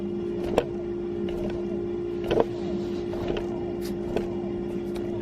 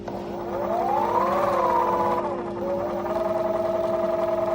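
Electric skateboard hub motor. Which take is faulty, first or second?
second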